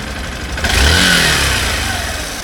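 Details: 2016 Honda Bros 160 after 6,000 km service, worn piston replaced with original parts but a louder new noise appeared: short blip from idle to fast rev and back, harsh mechanical clatter; internal engine noise, cause unclear.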